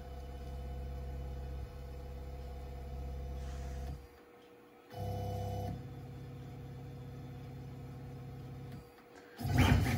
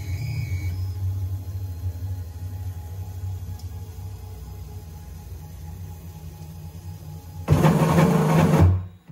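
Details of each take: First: Onefinity CNC running a probe XYZ sequence with a quarter-inch bit: stepper motors hum in short moves, probing Z first, then X, then Y, pausing between axes with smooth tones and no grinding; normal probing sequence. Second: Onefinity CNC restarted with the router away from home position and not homed, so the axis runs to the end of the rail: quiet running, then over a second of loud harsh buzzing and grinding as it stalls; CNC axis grinding at end of travel.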